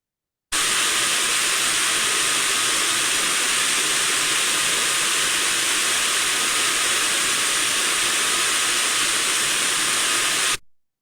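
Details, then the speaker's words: Ultrasound recording of similar healthy gearbox for comparison: steady, smooth, uniform hiss without knocks, grinding or surges; normal gearbox running. "smooth and uniform in nature this is what we should see"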